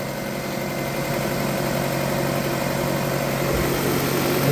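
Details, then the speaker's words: Toyota Camry idling smoothly with no rattle or knock after repair; earlier rattle was traced not to the idler but to a worn crank timing pulley at the keyway. "sounds like regular engine stuff now."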